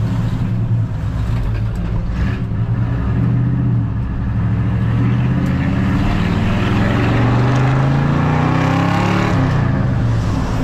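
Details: 1981 Chevrolet squarebody truck with new exhaust system, driving through suburbs: deep, loud V8 rumble rising and falling smoothly with throttle; no rattles, leaks or misfires, a healthy exhaust.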